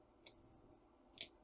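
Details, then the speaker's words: Trojan treadmill DCMD67 control board, good board: two crisp single clicks about a second apart as the safety relay pulls in at power-on and drops out at power-off; normal. "there the relay falls out. On, and there the relay falls out."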